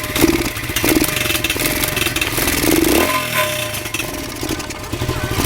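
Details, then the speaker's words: Pit bike single-cylinder engine with a duct-tape-and-cloth repacked muffler. Runs rough and clattery with uneven thumps and a harsh shake on every blip; owner suspects engine vibration from missing mounting bolts: rough running engine, cause unclear. "doesn't sound good I don't know what that's all about actually doesn't sound that great"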